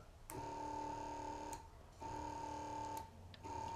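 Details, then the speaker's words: Boat bilge pump run on an old, flat battery: short bursts of steady high motor whine that start, run and stop repeatedly. It worked two or three times, then began sticking, the intermittent fault the owner had. "But now, if you see now, it's actually sticking, and that's the problem I had. So, it worked two or three times, but then it starts to stick."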